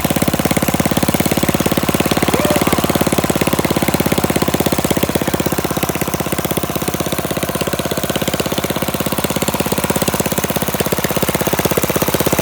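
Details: Flathead Briggs minibike engine, mixture screw set about a half turn out, slight throttle: loud, crisp, rapid even popping from unmuffled exhaust, steady without misses or surging; normal running.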